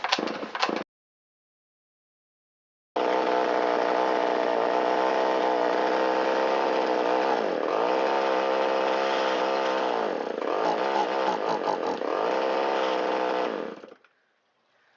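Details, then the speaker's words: Shindaiwa 360 chainsaw with Walbro WT-89 carburetor, long-stored, first test run after repair: buzzes at high speed but pitch sags and recovers repeatedly instead of holding full throttle; bogging from too lean idle mixture. "bogging right off of idle and the inability to go to full throttle means it's too lean at idle."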